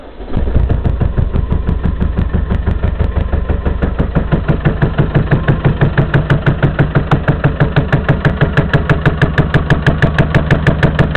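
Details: 1993 Land Rover Discovery 200 Tdi diesel starting and idling with a hard, regular bang about three per second through the clatter, heard from the manifold side of the engine; cause unknown to owner.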